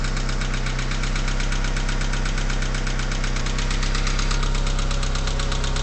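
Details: Mitsubishi 4G63T petrol engine with 143k miles idling cold with a steady, fairly quick tapping knock over the low rumble; knock lasts about a minute after sitting 8–10 hours and goes away when warm; owner suspects lifters or piston slap.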